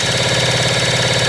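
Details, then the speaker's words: 1975 Kawasaki KE125, formerly seized and freed, carburetor rebuilt; key on, fuel added, brake clean sprayed in. Fast, even cranking churn with steady pulse but no firing beats; engine spins freely yet won't catch. Crank, no start. "We got nothing. Oh, we got nothing. Let's try a little more brake clean."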